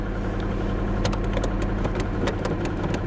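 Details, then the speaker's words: 1994 Ford F Super Duty, sitting at least a year on assumed ancient fuel, just started at auction: uneven, lumpy idle with irregular ticks and stumbles over a low drone, running awful and smoking; rough idle. "Yeah, it runs pretty bad. It runs pretty bad. Shut it off. I mean, it starts right back up. It runs awful."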